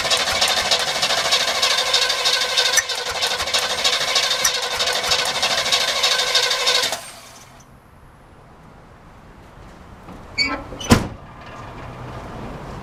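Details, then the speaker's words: Carbureted Chevrolet El Camino with old bad gas and starting fluid used: about seven seconds of fast cranking with uneven catches that never take. Crank, no start; the carburetor is suspected to be too open or out of adjustment. "Alright, let's crank it up again. Well, I see some gas coming in now. It actually brought some gas through."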